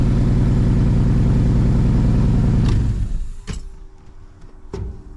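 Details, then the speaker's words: 1985 Pontiac Firebird Trans Am V8, sat about a year not starting due to miswired starter/ignition, fuel pump possibly not building pressure, possibly low on fuel: first start, steady even rumble at clean idle, then shut off with clunks. "oh it wants to run I I really got a question if it's out of fuel"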